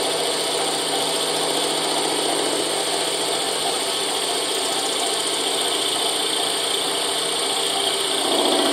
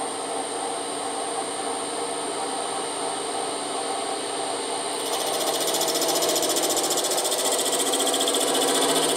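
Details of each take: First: Boring a Moto Guzzi 250 TS swing arm worn by loose bushes, power feed on: steady high chattering cut grows louder near the bottom as more metal is taken, possibly beyond where the original bush sat or from original machining; not confirmed. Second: Boring out a Moto Guzzi 250 TS swing arm worn by loose bushes: steady high-pitched cutting hum grows louder and busier midway as power feed engages, no chatter; cutting cleanly.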